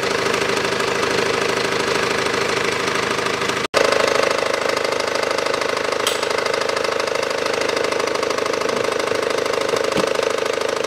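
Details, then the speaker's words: 2012 SsangYong Actyon 2.0 diesel, manual, 4WD, about 77,000 km, idling with the AC compressor on: a fast, even knock of nearly four per second from below. Cause is the worn drive belt tensioner, replaced. "хочу поднять автомобиль снять колесо снять боковой пыльник и прослушать с такого агрегата откуда идет этот стук стук неприятно"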